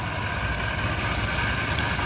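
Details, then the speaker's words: GMC Safari (Chevy Astro-type) 4.3L Vortec V6, just started after plug, cap and rotor tune-up for P0305 cylinder 5 misfire, still cold in open loop: fast high-pitched accessory belt chirp, about ten a second, over a quiet, smooth, even idle. "I don't know what's going on with that belt chirp"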